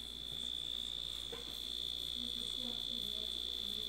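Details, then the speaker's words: Dash egg cooker after glue-damping hack on its loud end-of-cycle buzzer: thin, steady, shrill beep at one high pitch, fairly soft, nowhere near as loud as before; buzzer working normally. "much much less noise I think I can live with this all right that worked I'm happy with that so you still get your buzzer um it's just nowhere near as loud now"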